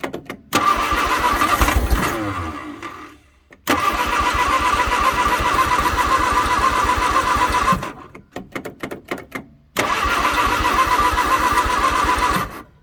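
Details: 1962 Vauxhall Victor, first start attempt after sitting 25 years, carburetor rebuilt and a little gas added: three short bursts where it catches, stumbles, sags and dies; running roughly, apparently running out of fuel.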